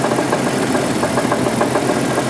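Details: 1988 Jeep 4.0 Renix at idle. A sharp, regular knock at about five per second stands clearly above a steady idle. Owner says it's not rod knock, suspects piston slap (slightly more at the rear), and will check the flex plate bolts; cause unconfirmed.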